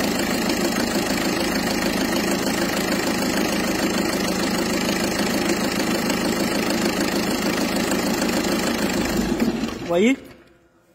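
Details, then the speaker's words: PSA 2.0 HDi (90/110) diesel idling after preheat; touching the fuel rail pressure sensor harness makes it clatter with an uneven, stumbling beat before shutting off, injector misfires from a faulty fuel pressure sensor harness. "Donc vous allez voir, quand on va toucher ici, on va avoir des ratés au niveau des injecteurs."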